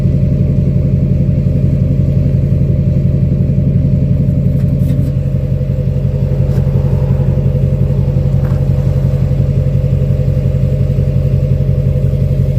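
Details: 2006 Chevy Silverado LBZ Duramax diesel, DSP5 tune, after install of 5-inch straight pipe with flow-through muffler and 8-inch tip, cat removed; recorded near tailpipe: deep, throaty idle with steady even low pulses, no misses or knocks; healthy normal idle.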